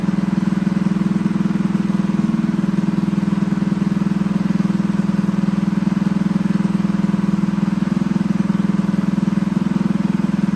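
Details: Freshly assembled Honda GX200 clone go-kart engine clamped to a table, started on choke: steady fast thumping idle with a hollow, slightly hunting note; lean running from a clogged carburetor jet, needs re-jetting with a larger jet.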